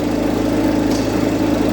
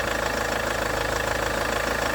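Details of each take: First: Range Rover Evoque at idle before repair: a fast, uneven light rattle rides over a steady idle at the front of the engine, from the worn auxiliary belt idler pulley/tensioner that is about to be replaced. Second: Range Rover Evoque after replacing the auxiliary belt idler pulley/tensioner: the engine idles steady and even with no squeal or chatter from the belt side, then shuts off. Sounds healthy, a normal idle.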